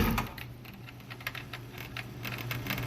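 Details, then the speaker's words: 2008 Yamaha VX1100 jet ski that won't stay idling and shuts itself off, throttle body and accelerator already swapped, wiring harness suspected: faint irregular clicking at key-on with original relays back in: throttle body twitching. "You hear the throttle body twitching."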